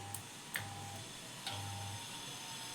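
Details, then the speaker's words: Washing machine spin motor bench-tested after rewiring: steady mains hum with a few sharp clicks but no rotation; wiring fine, rotor faulty. "इसका rotor खराब हो चुका है शायद क्योंकि यह आवाज तो कर रहा है आप देख सकते हैं लेकिन यह घूम नहीं रहा"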